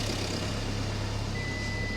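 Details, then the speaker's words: Crash-damaged salvage van with diesel engine, fault messages for AdBlue system, glow and airbag; after priming it starts and idles with a steady, even low rumble, no knocks or misfires, brief background beep; runs fine. "yeah at least it runs and it sounds nice doesn't it"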